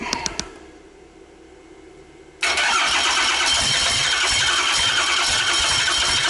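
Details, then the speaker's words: Rebuilt 5.9 Cummins 12-valve on an engine stand, first start: quiet cranking a couple of seconds while fuel bleeds through, then a sudden loud, steady clatter as it catches; long crank before first fire. "Oh, I heard something. Sounds like something's about to fire"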